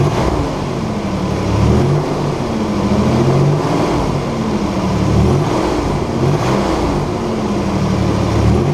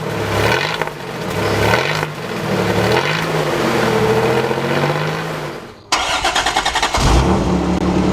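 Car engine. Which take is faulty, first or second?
second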